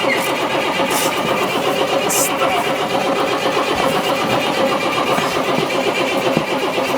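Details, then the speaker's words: Diesel motorhome stored three to five years, hand-pumping fuel while cranking: continuous uneven starter churn with no sign of firing; starter stuck engaged and wouldn't disengage even with key off, crank no start. "Okay, we tried to crank it, but the starter is stuck and didn't want to disengage with the from the engine even when I turn off the the key."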